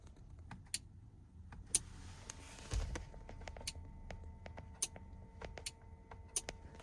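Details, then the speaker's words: Relay on 8" LED light bar circuit fed by 20 amp fuse and steering wheel AUX switch, 2013 Ford Police Interceptor Utility: sharp dry single clicks at uneven intervals per button press, quiet cabin; relay switching normally. "Just right off the bat, we can tell we wired up the fuse right, because you can hear the, let me turn this off. You can hear the click, right?"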